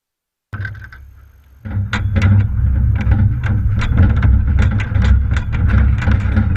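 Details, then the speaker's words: Horse trailer while towing: irregular bursts of loose clattering clunks over steady road rumble, something very loose near the horse's shoulder area; owner suspects the two side panels but is not sure. "something sounds very loose in the horse shoulder and it's making a lot of noise"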